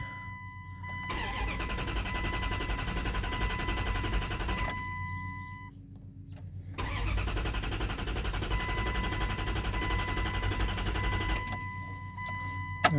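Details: Abandoned Dodge Dakota R/T 5.9 V8 truck cranked with fuel pump relay pulled and coil pack off to build oil pressure; steady starter churn, about four beats a second, in two long bursts, no firing; normal cranking, no start.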